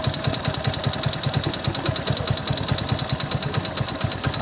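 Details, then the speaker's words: Hero Passion Plus motorcycle engine, revved, noise louder under load and faint when slowed: sharp, even ticking knock about ten a second over the engine note; piston found with excessive play in bore. Piston slap. "[संगीत] आवाज नहीं ए रहा है मेरे को slow करो तो थोड़ा हल्का से आवाज आता है जब लोडिंग पड़ता है जब लोडिंग पड़ता है तभी भी आवाज आता है तो पहले पिस्टन चेक करना चाहिए"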